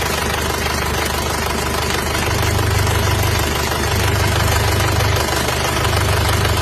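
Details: Isuzu Panther diesel, cold start at about 30°C ambient, already smoking: heavy uneven chuffing knock about 3.5 per second at idle; severe blow-by from worn, loose cylinder liners, engine to be pulled and liners replaced.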